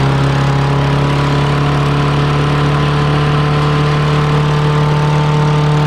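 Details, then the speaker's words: Murray 6HP mower pulled from the trash, started after freeing a tight motor, smoking with water in the muffler: steady single-cylinder drone that doesn't respond to throttle; governor problem suspected. "Sounds like we got a governor problem. Yeah, it looks like there might be a governor problem"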